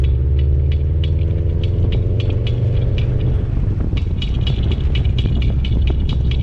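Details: 2014 Subaru WRX, low miles and driven regularly: heavy low rumble with a light, fairly regular high chirp or scrape ticking through it; squeak/grinding noise whose source the owner cannot locate.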